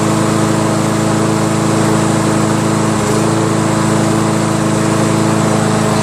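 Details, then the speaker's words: Toro SR4 lawnmower with Loncin Chinese clone engine after fabricating the missing auto choke air vane; small single-cylinder engine starts and holds a steady, even buzzing run with no stumbles or surging. "I guess that's all it was. Starts now."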